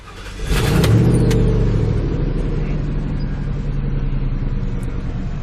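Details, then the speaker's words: Ford F-150 5.4L 2V V8 with code P0307, put in gear so the drivetrain loads it: rumble turns uneven and loping, stumbling as it pulls. Scan tool power balance shows cylinder 7 dropping out; suspected faulty ignition coil. "all right so watch the Power Balance on here as soon as I put it in the gear you'll see number seven dropping out"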